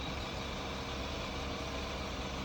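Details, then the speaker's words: Petrol engine idling with an uneven, lumpy low rumble indicating a misfire; scan shows a random misfire code with no specific cylinder identified. "So this indicate that the engine is having a misfire."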